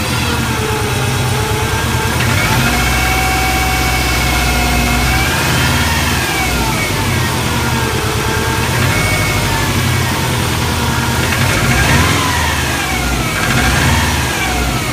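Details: 1997 Subaru Impreza GT (Eurospec WRX), stock engine, 230,000 km: soft knock on cold start under light throttle up to 2000 rpm, fading above and gone when warm; mechanic friend suspects piston slap, owner fears bearings; unconfirmed.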